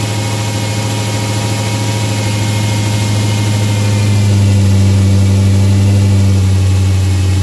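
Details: Dodge Hellcat supercharged V8 with the stock air filter, before fitting a K&N drop-in; deep even idle swelling slightly with revs, only a faint supercharger whine; normal, beefy sound.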